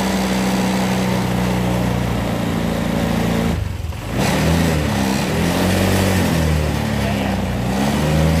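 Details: Honda Vario 125 scooter that intermittently stumbled, after the fuel pump was removed and water was found filling the tank: engine runs steadily, revs up and settles cleanly with no misfire, back to normal.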